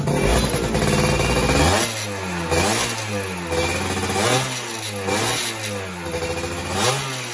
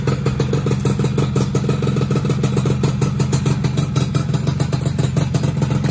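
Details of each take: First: Two-stroke motorcycle engine after rebuild, carburettor needle re-set after earlier bogging and heavy throttle: crisp throttle blips rise and fall cleanly without hesitation; engine now runs normally. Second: Freshly rebuilt two-stroke engine first start on old small CDI: choppy idle with uneven popping beat and faint clatter, struggles to settle; owner suspects main and pilot jets too small.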